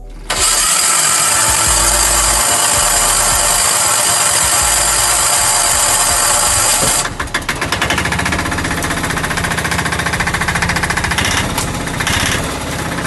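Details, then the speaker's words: Bajaj auto-rickshaw diesel engine after head gasket replacement: loud rush on start, then an even, steady chugging idle with no knock; sound now better than before. Normal idle. "तो जैसा की आप देख का रहे हो की गाड़ी के साउंड किस तरीके से सब चेंज हो गया है यानी की पहले से अच्छा हो गया है और ऐसे ही रहनी चाहिए इंजन के साउंड"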